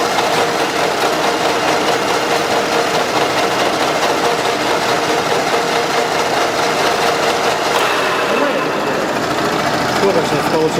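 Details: Running engine, oil rarely changed, heavy blow-by; owners reported strong knock in the engine or near the head: light, fairly quick ticking clatter about a couple per second at idle, from camshaft axial end play; pressing the cam with a hammer handle stops it.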